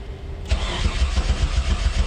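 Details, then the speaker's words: Freshly rebuilt Mitsubishi 6G72 twin-turbo with a newly installed turbo, first start attempt after 5–6 years of not running properly. The starter spins briskly at seven to eight beats a second but the engine never catches; the owner notes it has almost no fuel. "Come on, baby. Come on. I know you got fumes, but come on, start. Oh, at least I'm cranking. That's good."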